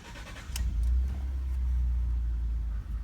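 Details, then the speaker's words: 2012 Ford F-150 XLT 3.5L twin-turbo EcoBoost, about 64,000 miles, road test uphill under load after exhaust manifold gasket repair: deep steady exhaust drone builds smoothly, no chirp or ticking on boost; more power, probably from passenger-side turbo spooling faster. "everything sounds clean as it fires up uh sounded really good the other thing that I noticed was I had a little bit more horsepower probably because that exhaust isn't leaking and spooling that turbo on the passenger side"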